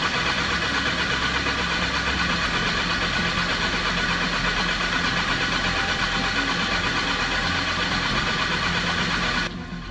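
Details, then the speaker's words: Lincoln welder engine, over 30 years old, just after an oil filter change let air into the fuel system: steady starter churning for ten seconds with no firing or catch; crank, no start. "Oh no, it won't start. When I removed the filter, it got some air in the system, and it's a real bugger to get it out."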